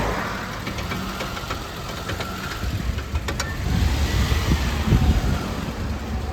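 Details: Suzuki Alto at steady idle, front wheel turned by hand: irregular clicks then dull knocks from a worn front CV joint; the front drive axle is to be replaced.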